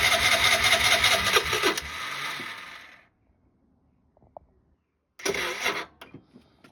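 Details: Piaggio ET4 scooter, unused for years, weak battery, on a jump pack: starter churns under two seconds, dies away, then a short second crank that never catches; no start. Cause suspected, not confirmed.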